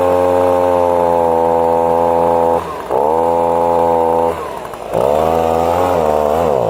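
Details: Echo leaf blower, two-stroke, after installing new carburetor, fuel pickup and air filter; started cold, too much choke noted. Sharp buzz revs up, drops off and climbs back cleanly with even firing; runs normally.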